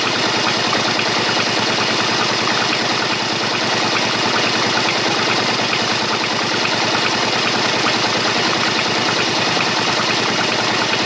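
Steady idle with a fast, uneven ticking clatter riding over it, about two to three a second; something's off, cause not obvious.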